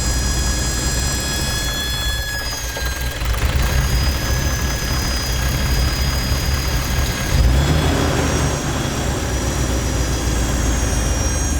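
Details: 1996 Dodge Dakota: a high, steady squeal over a rough engine idle that holds its pitch throughout. The source of the squeal has not been identified.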